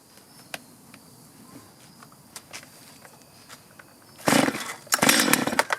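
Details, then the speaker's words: Stihl chainsaw before repair, hard to restart after running: weak uneven idle with scattered pops, short revs stumbling and falling off instead of climbing; bogging from dirty, misadjusted carburetor needing cleaning and adjustment. "That doesn't sound good."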